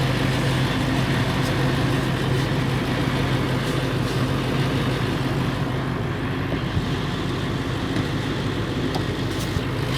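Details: Late 1999 Ford F350, 7.3L Powerstroke diesel at idle: loose, uneven metallic rattle over steady clatter, more pronounced under the truck; owner suspects flexplate or engine, unconfirmed.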